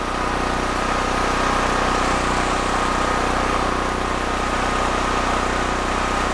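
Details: DuroMax XP13000HXT tri-fuel generator running on gasoline under load-tester load after fuel valve and micro switch repair: steady, even engine drone with constant hum, no misses or surging; healthy.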